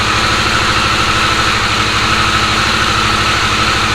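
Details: Harley-Davidson Sportster S V-twin after its key-fob-drained battery was charged and the start code cleared: steady, even idle with a smooth low pulse, no knocks, misses or rattles; healthy normal idle.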